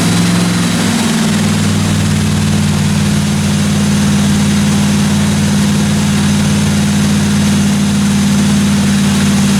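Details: 1957 Chevy 210 project car at idle during its first-run camshaft break-in of about 20 minutes: steady, even low smooth drone with no top-end ticking or knocking; valve train sounded good, normal idle.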